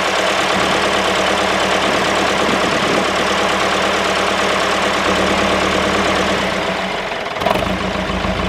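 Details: David Brown 996 diesel tractor, sitting about 10 years, first run after storage: steady, even idle clatter with no stumbles or dropouts; normal idle, it's a runner.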